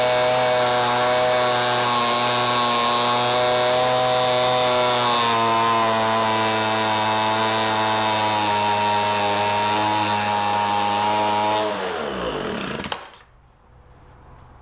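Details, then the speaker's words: Homelite MightyLite 26b leaf blower (UT08520), two-stroke, just after carburetor rebuild: steady buzz sags about five seconds in and dies; engine bogging, carburetor adjustment screws need tuning. "that was successful started right up after that carburetor repair now the one thing I don't know if anybody can hear it but it sounded like it was bogging down"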